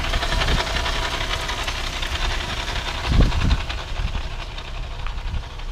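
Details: 2015 Audi A3 1.8T: rough, scraping grind with occasional low thumps from the front while coasting uphill in Drive without touching the gas; similar noise over speed humps; cause unknown.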